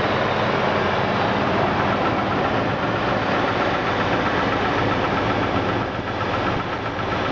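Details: 2000 Jeep Grand Cherokee Laredo 4.0 I6, Rotella 15W-40, started cold after sitting about eight hours: irregular knock near four per second at idle, absent when very cold, starting shortly after; mechanics place it where bellhousing meets oil pan; months-long, unresolved.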